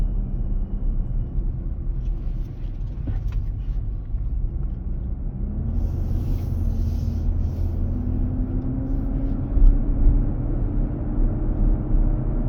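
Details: 2023 Nissan Armada, 4k+ miles, driving at about 95F inside, intermittent almost daily: steady low rumbling, whooshing roar rising slightly in pitch. Dealer confirmed the fan clutch engaging to keep the engine cool.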